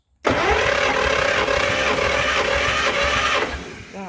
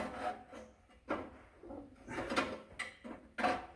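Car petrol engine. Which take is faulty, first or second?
second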